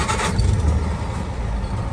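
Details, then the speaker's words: 1948 Land Rover Series 1 80in, restored: quick crank, catches and settles into a low steady even warm idle with no misses or knocks; starts and idles beautifully. "and starts and idles beautifully it's nice and warm now"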